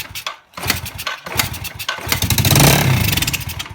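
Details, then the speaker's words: 2011 Yamaha TT-R110E that would not start, with good spark and compression, firing on a squirt of fluid into the carb: uneven sputtering bursts that catch briefly then stumble; carburetor fuel fault, jets to be cleaned. "so we found that it's definitely carb issue like we said it before we test for spark up spark plenty compression but we hit it with a squirt inside the carb and it fires"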